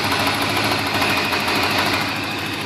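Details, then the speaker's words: 1987 Porsche 928 S4 V8 at idle, heard from outside: fast, light, even ticking over a smooth steady idle; normal injector tick from cleaned, serviced OEM Bosch injectors, not mechanical valvetrain noise. "has the normal injector tick, but that's actually a common thing on 928s."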